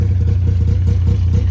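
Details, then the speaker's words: Ski-Doo Skandic two-stroke snowmobile, odometer reads 7,000 miles, started about three days after purchase: an even, low burbling idle with steady rapid pulses and no knocks; smokes heavily, oil light on; transmission works; normal idle. "Go ahead and start it up right here. Look at that. She purrs."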